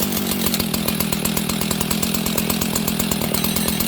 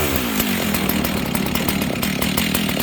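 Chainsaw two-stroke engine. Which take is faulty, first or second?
first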